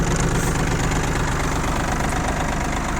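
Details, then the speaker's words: Yanmar F195 four-wheel-drive three-cylinder diesel tractor with a 140 cm tiller, hour meter reading 531, just started and only beginning to warm up. Even, steady chug with no misses, knocks or odd exhaust noise. Normal idle. "работает ровно трактор по температуре видно что только-только начал схватываться прогреваться работает отлично выхлопа ничего здесь нет постороннего"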